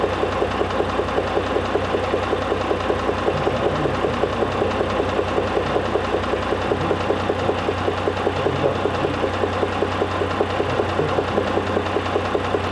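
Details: Mitsubishi Pajero III with the 6G74 3.5 L GDI engine at steady idle: regular light knock about 2.5 times per second over the engine, source not pinned down. Engine knock.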